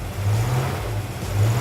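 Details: Chevrolet El Camino with a new GM Goodwrench small-block V8 crate engine replacing the old small block: first fire-up, held at fast idle for cam break-in and warm-up. Deep, even rumble with no knocks, ticks, misses or leaks; a healthy new engine.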